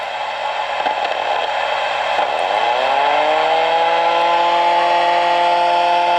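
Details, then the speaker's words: Tram D201A radio with a 12 V cooling fan wired to the 14.4 V supply on the BA board: a whine climbs then holds steady through the speaker on SSB. This is fan-motor interference. "That's coming through the speaker, that noise. So anytime you went on SSB, that's what you got with that fan running."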